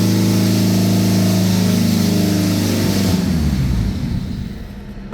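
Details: EK Honda Civic, D-series engine on a stock B16 base map ECU, first start attempt: steady even drone at fast idle for about three seconds then winds down; runs smoothly with no knocks.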